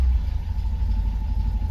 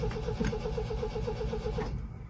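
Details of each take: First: 1974 MGB GT after 7–8 months sitting, warm day, running without choke: steady even low burble, no misses or knocks; normal idle, owner thinks probably running a bit rich. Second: 1974 MGB GT on its first start attempt after 7–8 months sitting, with a little choke and the fuel pump already primed, after an earlier petrol leak: starter churns about four turns a second, pauses, recranks; cranks but won't fire, cause unconfirmed.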